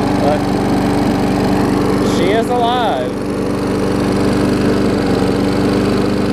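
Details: Old Murray 22-inch push mower, transplanted ~3.5 hp Briggs & Stratton, revived after years unused with new muffler: runs steadily at even speed, smooth firing, no misses or knocks; healthy.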